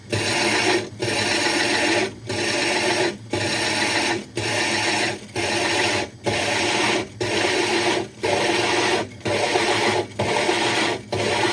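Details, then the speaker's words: Hole saw drilling a 60-gallon breeder aquarium, water added: steady gritty grinding with a light knock about once a second, meaning the saw is nearly through the glass with a thin layer left. "So he added a little bit more water, and we should be pretty close. Yep, you can hear it knocking there, so we're close."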